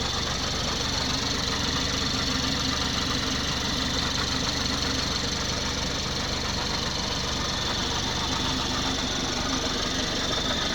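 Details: 2019 BMW X4 30i G02 at standstill idle after coolant loss, topped up with G12+ and distilled water, no warnings: steady idle with fast even ticking about four per second; owner unsure if normal.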